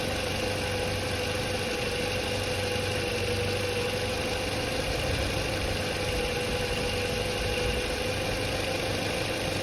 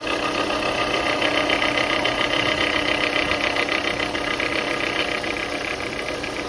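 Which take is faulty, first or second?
second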